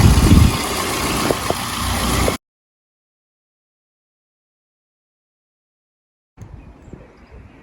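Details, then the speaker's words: 2008 Toyota Estima E-Four X Hybrid engine running with the air conditioning on. Smooth, even idle for a couple of seconds with no tapping or squeal, then it goes quiet; healthy. "So, you can hear the engine when it does run is nice and quiet. No tapping noises or squeaking noises. Runs perfectly."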